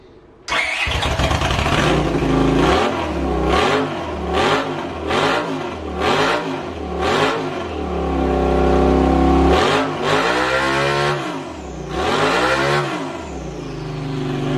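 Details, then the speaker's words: Honda CX500-engined mini hotrod go-kart with custom draw-through turbo, first start after rebuild, on choke: fires up, crisp throttle blips rising and falling cleanly; runs properly. "Look at this throttle, beautiful."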